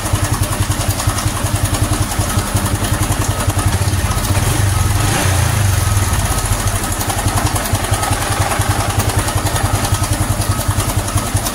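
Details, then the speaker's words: Honda Supra X 125 FI after fitting racing valve springs, idling: a fast, busy, steady rattle from the cam chain, worse than the usual chain tick; bleeding and loosening the tensioner did not help, engine to be opened. "Ini sudah muncul ya, Teman-teman. Bisa didengarkan sendiri suaranya cukup menyeramkan dan sudah di tidak bisa ditoleransi."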